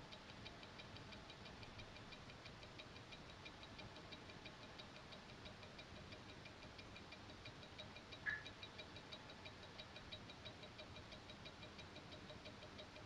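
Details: Invicta 8926OB wristwatch with Seiko NH35A mechanical movement: fast, crisp, evenly spaced ticks with a faint hiss behind; normal watch ticking.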